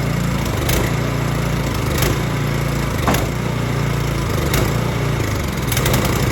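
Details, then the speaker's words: Snow Tech snowblower by Ariens, Briggs & Stratton clone single-cylinder, running after carburetor cleaning and reinstall. Steady low even thump with a few light ticks; up and running well, normal running. "The snowblower is up and running. That worked good."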